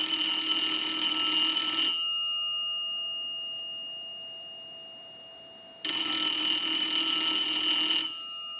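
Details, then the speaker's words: 233G payphone, final checks after repair, rung by analyzer and heard through amplifier pickup; arrived with no bell, one fitted: bright, clear bell in steady two-second bursts with about four seconds between; ringer working properly. "And so I'm going to go ahead and ring the unit with the analyzer. I'm going to let that go a few times. It didn't have a bell when it came in."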